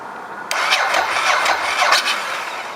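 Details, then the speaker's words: Ducati S2R 1000, fuel pump and headlight disconnected, fully charged Ballistic 12-cell lithium battery at 12.9 V, warm day: sluggish, uneven cranking as voltage drops to 8 V and the ECU resets; the battery lacked the correct CCA. "As you heard, the ECU just reset. Jumps on to 8 volts."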